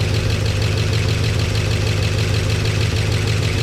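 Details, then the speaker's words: 1969 Chevy C10 V8 after ignition timing adjusted slightly: deep, even burble about three beats a second, much quieter, no tapping, 50 psi oil pressure, oil dripping from a loose gauge fitting; normal idle. "Hey, we got oil pressure. We got oil pressure. Check it out. Oh, it's much quieter too."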